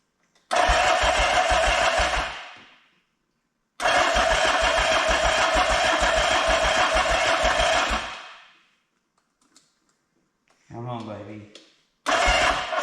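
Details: 1979 Yamaha XS750S, first start attempt after engine rebuild, rewiring, fuel and carburetor work: repeated bursts of even starter cranking with pauses; engine spins but won't fire.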